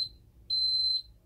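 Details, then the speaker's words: Ademco 6137R alarm keypad arming to Away. High half-second beeps whose piezo sounder wavers in pitch and stutters; the countdown also does not display, which the owner suspects is a programming issue. "You can kind of hear the piezo having a little bit of an issue keeping its pitch."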